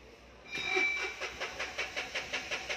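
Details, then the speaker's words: Tata Intra V10 BS6 diesel, crank no start: even cranking about four pulses a second, never firing; cluster shows SCR system fault and check engine lights, poor-grade DEF and engine start inhibited messages. "इसका यंत्र cluster में खराब grade DAP (poor grade DEF) और engine शुरू engine start करने से मना किया गया ) का संदेश प्रदर्शित हो रहा है।"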